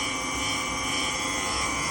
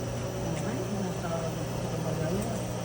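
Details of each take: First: GE washing machine making noise during the spin cycle: a steady high-pitched roar and whine through the spin. The noise is said not to be from the tub bearing. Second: GE washing machine spinning after repair; the spin noise came from a damaged bearing on the motor pulley, not the tub bearing; now a smooth, even motor hum with a steady low drone and no grinding or rumble, a normal spin.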